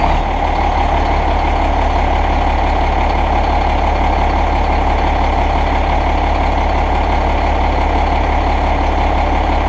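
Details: Cummins ISM 10.8 L (11 L) diesel heavy truck: deep even rumble at steady idle, no knocks or misses; normal idle.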